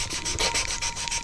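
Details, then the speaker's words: 1971 Chevelle 454 big-block head, valve being lapped with compound: rapid scratchy rasping with each twist of the tool. The seat is still being ground; keep turning until the scratchiness stops. "you can hear it grinding you hear that scratchiness you want to turn it to put pressure on it turn it so you can't hear that anymore"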